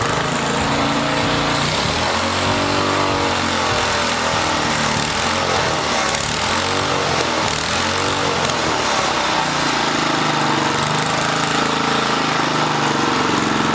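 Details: 1980 rototiller, small engine revving hard and high, pitch wavering slightly as it surges; overspeeding because the wrong governor spring is fitted, found after starter clutch adjustment.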